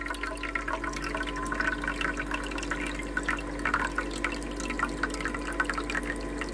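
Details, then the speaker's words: Ice maker after repair: low steady hum of the water pump under trickling water as the tray refills after the ice is scooped out; the pump runs smoothly and normally. "See, now the pump is running alright."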